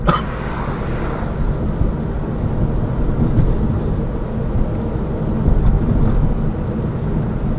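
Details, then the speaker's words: Lada Vesta Cross with AMT, four people aboard, after replacement of the shock absorber struts, action camera on the driver's head: steady low road rumble over bumps and cracks with no suspension knocks or rattles, the earlier knock gone. "то есть вот едем по кочкам по которым в принципе всегда бряка даже собираю тут специально все трещинки и так далее этого звука нету"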